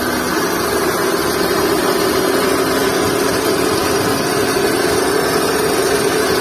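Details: Skoda Fabia idling with a constant whirring drone over the engine and no clear squeal, from a worn drive belt and tensioner bearing.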